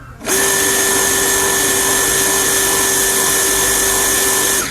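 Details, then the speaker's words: Water pump that hummed without turning, after its capacitor was replaced: starts cleanly into a steady, even single-tone hum with no stalling; the motor now runs properly. "तो जैसा कि आपने देखा अब ये जो water pump है बिल्कुल अच्छी तरह से काम कर रहा है"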